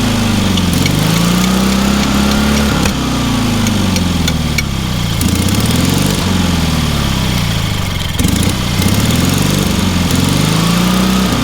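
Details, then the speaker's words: Small petrol engine on a trailer-mounted man lift, found with quite a bit of water in the oil and corroded intake: runs strong and steady with an even beat, pitch drifting slightly with load; starts easily, normal running. "That thing runs amazingly well for what it is."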